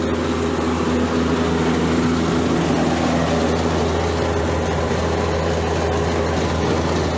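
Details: Outdoor condensing unit for a too-warm reach-in dairy case, running after its crimped wiring was cleaned up and restripped: steady low hum with constant fan and compressor drone, smooth and even; accumulator feels warm; running normally.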